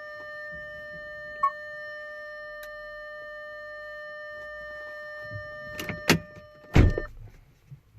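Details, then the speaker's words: Audi Q5 (2011-2018) electric parking brake during rear pad replacement, diagnostic close function after new pads: steady electric whine for about seven seconds, then clunks as it stops; normal EPB motor operation. "Now you can hear the electric motor closing. Press OK to continue once the noise is gone. The motor has stopped."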